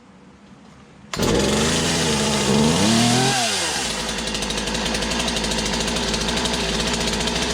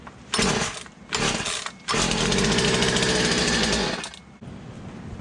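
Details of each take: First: Poulan 2150 chainsaw with a new cylinder and piston, after swapping in a new carburetor, primed: fires at once, revs high and wavering, then settles into a steady, even two-stroke idle; healthy. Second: Poulan 2150 chainsaw with a new cylinder and piston, running a cleaned OEM carburetor: short, ragged revving bursts that stumble and drop off; owner suspects the carburetor and plans to swap in a new one.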